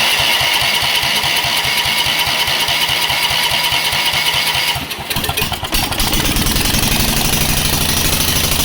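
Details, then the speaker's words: Rock-mower small engine, no muffler, governor held by hand to keep it running, first run in a long time, fire from exhaust: loud, sharp crackling pops at a fast even beat, then surge to wide-open throttle; running strongly. "so I have to hold the governor in order for it to run got Fire coming out no buffler obviously that's the first time she's ran in a long time so I'm pretty impressed"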